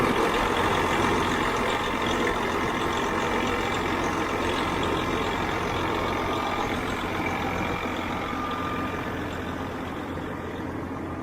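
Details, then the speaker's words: Twenty-year-old truck diesel with about 2 million miles, idling in neutral with the clutch down: steady, even rumble with no misses, knocks or surging; it sounds healthy and really good. "That's called 2 million miles right there. Listen to that thing. Actually, it sounds"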